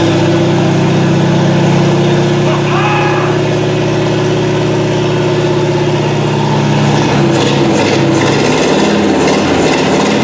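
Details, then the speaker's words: Chopped 1950 Ford Shoebox V8 started after sitting 20+ years, fuel poured into carburetor with tank removed: loud open-piped engine holds a steady, even beat with no knocks or misses; sounds healthy. "can you believe that well that's it for now um I don't know what to tell you it actually sounds good"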